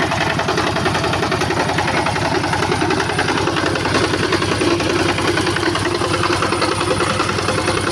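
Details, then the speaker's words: Yanmar TF85 diesel on a rice-field tractor, owner reports rough running: hard, steady metallic knocking about two to three hits a second over the idle, unusually loud and abnormal. "Jadi untuk suaranya di sini saya dengar kuat ya sekali detakannya. Jadi tidak seperti biasanya dan tidak normal."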